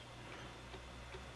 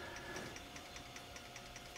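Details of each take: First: IBM 5155 Portable PC 360K 5.25-inch floppy drive formatting a likely bad disk: steady hum with a sharp tick about every 0.4 seconds as the head steps back and retries; format struggling from bad media. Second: IBM 5155 Portable PC 5.25-inch floppy drive in an RPM speed test, measuring very close to 300 rpm with 250k data rate: light, even ticking over a soft whir; spindle turning steadily, healthy.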